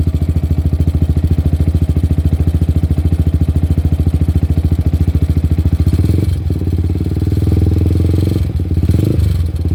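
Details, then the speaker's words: Yamaha R15 V3, 5 years and 50,000 km, modified exhaust idling: rapid engine pulsing with loose tinny rattle from the shaking exhaust's loose slip-joint pipe, cut by the modifier; owner plans to tighten it. "ya Suaranya kayak gitu ada gemriciknya karena ternyata itu pipanya sambungan kayak pipa paralon ya"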